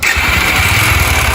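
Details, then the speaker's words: 50cc motorcycle, owned since 2005 with engine never opened: catches with a busy, rapid metallic tick and rattle over the idle, like a loose part inside; ticking rattle on start-up, needs engine stripdown. "essa moto tá com barulho como se tivesse uma palheta no no rápid já sei uma cascavel aqui dentro liga aí"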